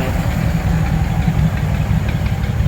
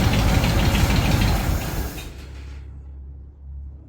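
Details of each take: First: 1936 Ford 1½-ton truck, 8BA flathead V8, first run after sitting in a barn for years, warming up: deep, steady, even rumble with no misses or knocks; firing on all eight cylinders. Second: 1936 Ford 1½-ton truck, 8BA flathead V8 converted to 12 V negative ground with Pertronix ignition, cranking after six years, choke pulled: starter spins the engine in bursts, never catches; mechanical fuel pump not drawing fuel, no start.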